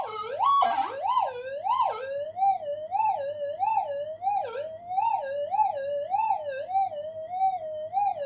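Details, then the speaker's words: Upgraded Minelab GPX 5000 on full gain, normal mode, double-D coil, in a workshop, on the 0.1 target: wavering tone over steady electrical hum; the target partly disappears in interference noise but remains audible. "and we're disappearing in the noise up there a little bit. Still hear it though."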